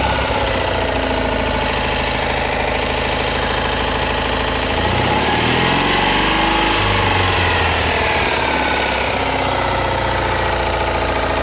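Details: Citroën Ami 8 air-cooled twin warm on the bench without fan, uneven idle with dropping beats and wavering speed, heavy ignition misfire; breaker points spark heavily, weak plug spark, suspected faulty condenser, coughing through carburettor.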